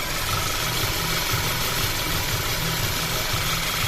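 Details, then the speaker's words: Audi A4 2.0 TSI that starts very hard, shakes in gear and won't drive, with the check engine light on. Uneven, shaky idle with a low thump about twice a second; misfire codes for cylinders 1 and 3, cylinder 3 plug black (rich). "У нас тут справа по помилкам у нас пропуски перший циліндр третій циліндр багато пропусків все більш нічого у нас немає"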